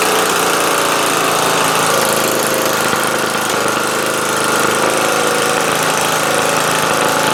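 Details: Murray LT widebody 40" lawn tractor, 12.5HP Briggs flathead single, earlier no compression and no spark; with magneto kill wire disconnected it starts and holds a loud, steady chug, no misses or surging; oil clean, at add line; normal running.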